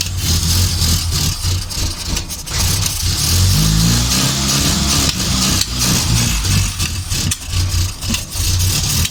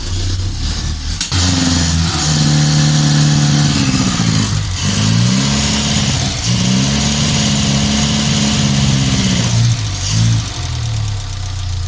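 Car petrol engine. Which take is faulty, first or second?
first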